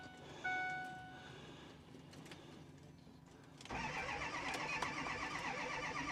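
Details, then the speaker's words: A 98,000-mile 2010 Ford F350 with the 6.4 Powerstroke diesel cranks steadily but never fires. The owner suspects three cracked or melted pistons from a power balance test. "So unfortunately, I can't get the F350 to start. I'm guessing what's going on is the engine has either cracked or melted pistons."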